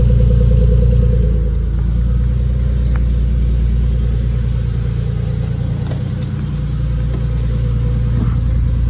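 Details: Nissan 240SX S13 with a swapped 370Z V6, newly running with no fault codes, exhaust pipe still needing repair: a deep, even engine note holding steady with a slight dip and recovery, no knocks or ticks; it runs normally.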